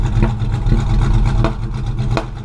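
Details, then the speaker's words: V8 running rich, smoking heavily: deep, rough rumble when revved with sharp backfire pops out the tailpipes; owner suspects ignition timing off 180 degrees, not confirmed. "See, that's coming out the tailpipes. Sounds like somebody shot you."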